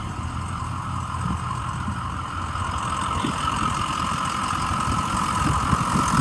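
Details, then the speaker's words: 2006 Ford E-450 Blue Bird Handy Bus, 6.0 L diesel, needed starting fluid to start, check engine light on: steady, even idle with a smooth low rumble and a faint whir, no knocks or misses; sounds healthy. "it sounds really good the check engine light is on so that could be a sensor that could be anything so gotta check it out"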